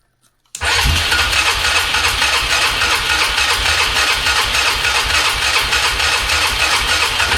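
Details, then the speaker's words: 2003 Polaris Magnum 330 4x4 ATV with hard-start history, after fuel pump replacement and fuel turned on: single cylinder catches at once and settles into steady, even idle with crisp exhaust beat; clean start, purring. "And she's just purring like a kitten. I guess the fuel pump is all it needed."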